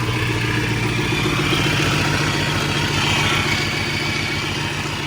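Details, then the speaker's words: Supercharged engine revved after exhaust manifold/header work, which is still not fully sealed: rough clattery note with a thin whine. Owner suspects the supercharger sounds unhealthy but is unsure whether this is normal. "now is that the supercharger yeah it sounds like it's a supercharger supercharger does not sound healthy at all"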